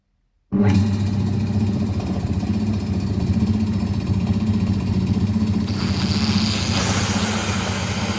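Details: Secondhand air compressor unused for many years, after motor repair: steady even motor hum with smooth belt drive and no knocks or squeal, then a rush of air as the drain opens, expelling oily muck and water from the tank. Runs normally.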